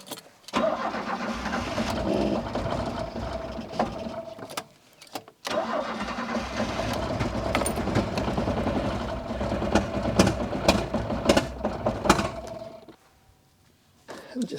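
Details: Citroën C25 camper engine, rough and misfiring especially cold, after a new distributor cap. It catches but runs lumpy and uneven, stumbling with irregular beats and near-stalls; the plug leads were fitted in the wrong order.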